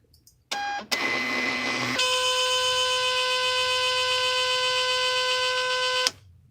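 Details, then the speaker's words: Second-hand Zebra GK420D label printer during print test: short chirp, rough grinding burst, then loud steady buzz as it stalls without printing, red light blinking and freezing; cause unknown. "hey can somebody help me out here because i'm trying to use the shipping label thing and it won't print right look what happens every time i try to do a print test or anything on"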